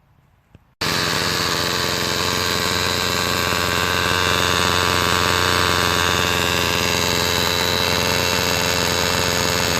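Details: Homelite SX135 Bandit UT-20601 two-stroke string trimmer after new fuel lines and a replacement carburettor from another trimmer: after a brief pause it fires and settles into a steady, buzzy run that holds level for ten seconds; running normally.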